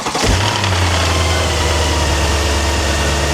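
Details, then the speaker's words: Mercedes engine at start, morning after purchase: catches and settles into steady idle with a faint ticking knock over the hum; cam phasers suspected (80%), timing chain otherwise, not confirmed. Engine knock. "Ранок після купівлі Мерседеса починається не з кави. Він може початися зі стуку в двигуні."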